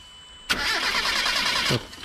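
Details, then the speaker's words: Proton Wira that stalls once warm and won't restart until it cools: the starter spins the engine steadily about a second with no firing; fuel is confirmed reaching the injectors. "Okey, petrol ada masuk. Bermakna dia dah sampai. Dia ada masuk ke injectekor. Enjin tak nak hidup, Bro."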